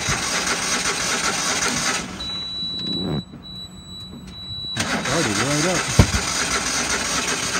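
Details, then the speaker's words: Used Dixie Chopper XG2503 mower with a Generac gas engine, which won't crank until the operator sits on the seat sensor: it catches after a brief crank and settles into an even, steady idle, revving up nicely. Good working order. "this thing appears to be a good working order motor sounds good revs up nice all the handles work"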